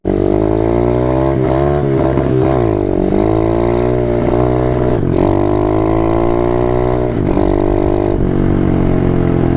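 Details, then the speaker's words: Apollo 125RFZ dirt bike engine revs, then its note breaks and drops abruptly as gears are forced in without the clutch by inexperienced riders; this risks stripping gear teeth or destroying the transmission, and the motor is now worn out. "and that's shifting without a clutch and in that case you risk stripping a tooth off of the gear in a transmission or just destroying it all together"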